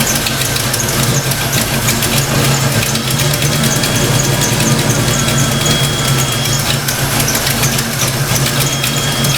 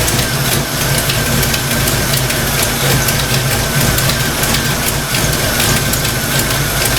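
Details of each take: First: Fox-body Mustang V8 after setting distributor timing and reconnecting the TFI plug, during thermostat install: smooth, even idle with steady low burble, no misses or knocks, running better than before. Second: Fox Mustang V8 idling while warming up after thermostat install, oil pressure steady: lumpy idle with light, fast clacking in time with the engine from the valvetrain, owner suspects stock rockers.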